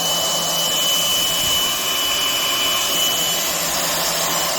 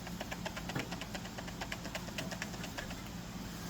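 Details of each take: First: Skil RT1322-00 1/2" digital router, 1680 W 14 A 120 V, after replacing loose silicone tension washer with a proper bearing wave washer, 1/4 inch flush bit, speed ramped up: steady high whine, clean coast-down, no rattle; much smoother than before. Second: Skil RT1322-00 1/2" digital router, 1680 W 14 A 120 V, motor out with brushes removed: quick irregular clicks and light knocks over a soft hum, loose metallic rattle from spindle end play as the silicone bearing tension washer has gone loose.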